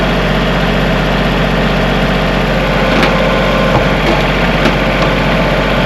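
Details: Kubota tractor diesel after battery connection work (clicking no-start): steady, even idle with constant low rumble, no misses or knocks; left running to clear lingering E93 code; engine healthy.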